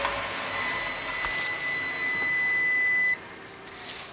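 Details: Gas furnace above a carport, no-heat call, after cleaning dirt from the vacuum switch hose connection: smooth high inducer motor whine runs evenly then cuts off cleanly; furnace cycling normally.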